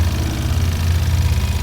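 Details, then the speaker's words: 2024 Ford Maverick XL AWD 2.0L EcoBoost, warm, slow idle, microphone near the pulleys and alternator: low steady hum with light belt whir, no knocks or squeal; normal idle. "and this is what it sounds like near the pole and so forth near the alternator okay now also keep in mind there is a highpressure direct injection fuel pump that's going to be approximately in this area from what I understand so again these are all normal sounds of an ecoboost engine"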